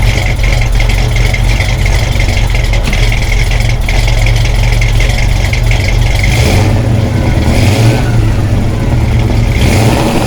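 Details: 1972 Plymouth Satellite 318 V8 with a new flat-tappet cam, warmed up to temperature with coolant flowing: deep, even rumble with a few smooth throttle blips, no knocks or ticks; healthy engine.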